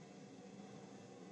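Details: Indesit washing machine on spin: steady droning hum with rough rumble underneath, audible as soon as spin starts, from worn drum bearings in a non-separable tub; bearings replaced.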